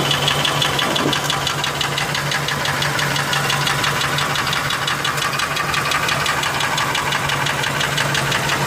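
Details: Ford F150 4.6 two-valve V8 at idle with a sharp, steady knock about three times a second; not the lash adjusters, possibly rod bearings, though owner thinks it comes from the clutch (broken spring?); unconfirmed.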